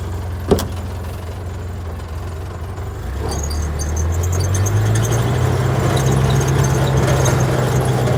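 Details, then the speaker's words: Old Craftsman (Briggs & Stratton) wood chipper found in a barn, borrowed battery fitted: sharp click, then slow labored churning about three turns a second that gradually picks up; slow cranking, owner suspects the starter. "the uh the starter doesn't want to work so whatever I got one of Barney's batteries in it but it uh just doesn't want to go it just barely goes"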